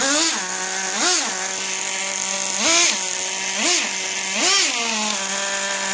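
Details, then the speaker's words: Traxxas T-Maxx 2.5 nitro RC truck, .15 engine, first start after three months with richer settings (low-speed needle one turn out): small engine buzzing at a fast, steady idle with short throttle blips; idle still too high, to be richened. "the thing is the idol is still a little bit too high so we'll turn that rich a little bit"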